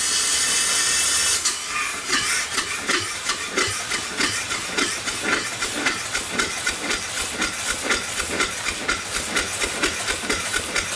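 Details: Upright steam engine after the eccentric was retimed, running below 20 psi on a weak fire, with O-rings too narrow to seal. Rhythmic chuffs about two a second with hiss between, slightly uneven: running properly.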